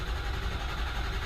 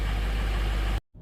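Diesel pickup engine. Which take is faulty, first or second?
first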